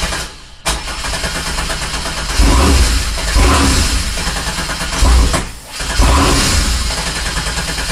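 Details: 1987 Fiero GT with swapped 3800 supercharged engine: starter churns with a few ragged firing bursts that never catch; crank no start from no fuel.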